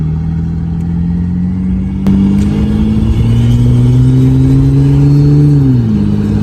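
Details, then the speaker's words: 1995 Ford Taurus 3.8L V6 with big turbo, freshly built, driving: strong smooth drone climbing steadily under load then easing off evenly; engine pulls cleanly, running good and sounding great. "oh yeah she's running good sounds great"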